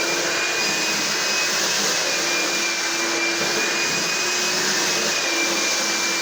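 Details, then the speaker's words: Found, slightly rusty carpet cleaner that previously would not draw water, now running with the pump on: steady high motor whine with pump hum underneath, no stutter; working, owner suspects a small blockage or trigger connection issue caused it. "Okay, I just put the pump and that on, and I do believe we're finally working. There was no reason this shouldn't have worked."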